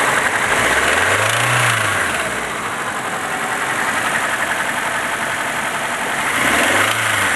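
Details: Nissan 200SX idling with a steady light knock about four per second from the top end; cause unconfirmed, owner suspects the VVT, cams or oil spray bar.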